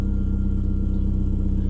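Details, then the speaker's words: 2003 VW Jetta 1.8T after crankshaft sensor replacement, compression tested OK: deep, steady low rumble with an even pulse and no stumble, miss or tick; petrol engine idling smoothly, starting and stopping normally. "Entonces, pues parente estar bien solamente pues no lencen sus mantenimientos, pero ahí está ahí está prendiendo y apagando el carrito como si nada."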